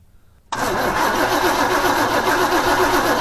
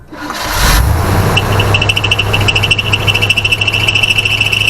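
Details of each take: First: 1980 Chevrolet C10 small-block after fitting a cheap replacement carb, fuel line off to check for spurting: steady starter churning at about four turns a second, never catching; no fuel getting through, and the fuel pump was then replaced. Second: 1980 Chevrolet C10 small-block after a new carb, glass fuel filter and fuel pump, with a leaking main fuel line tightened: the engine catches and settles into a steady, even low rumble with no misses or knocks, a clean healthy idle.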